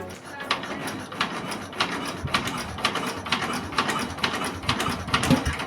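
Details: S-1115 single-cylinder rice-mill diesel just rebuilt for black smoke, high fuel use and overheating, first test run: a slow, even thump with light mechanical clatter on each beat, a normal idle.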